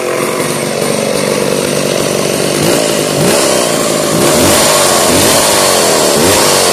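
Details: 1990s McCulloch Pro Mac 700 chainsaw that sat unused for 7 years, started up: raspy two-stroke buzz holds steady, then climbs in pitch as the throttle opens; the old saw runs and revs.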